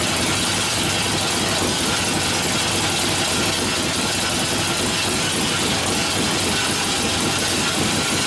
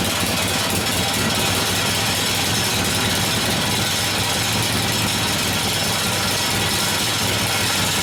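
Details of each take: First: 1972 Harley-Davidson XL Ironhead Sportster after motor rebuild (pistons and pinion bushing damaged previously): even continuous V-twin running with no knocks or rattles over hissy background, oil return working; sounds healthy. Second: 1972 Harley-Davidson Sportster XL Ironhead bobber after engine rebuild, short open pipes: loud, choppy, stumbling, hunting idle; idle mixture screw set wrong, adjustment working but not very sensitive.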